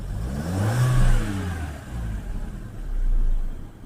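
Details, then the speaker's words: 2008 VW Golf 5 1.6 petrol after replacing spark plugs and gaskets, which fixed a cylinder-3 misfire and idle hunting up to about 1000 rpm: two smooth rev blips rising and settling cleanly, with no stumble. The engine runs evenly. "Зараз все супер рівненько гарненько працює"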